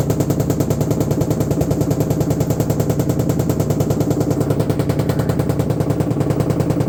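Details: LG washing machine: heavy, fast, even banging about three times a second over a deep drone, growing violent and getting worse; something is badly out of place.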